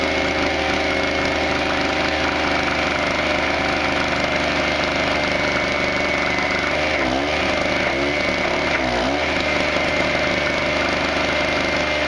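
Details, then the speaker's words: Harbor Freight 900 peak/700 running W generator, 63cc 2 HP air-cooled two-stroke, running a stick welder: high-revving drone wavers and sags in pitch under load; RPM can't catch up, lacking initial surge to run the welder. "so as you could see in that demonstration unfortunately because this throttle up in order to match the amperage or wattage that it needs it can't run the welder because the initial shock is just not there"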